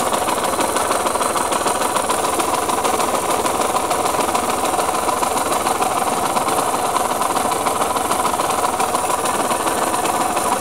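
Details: KMX two-stroke motorcycle engine, before restoration: steady idle with a rough rattly clatter of about three beats a second; owner says bearing noise; engine bearing noise.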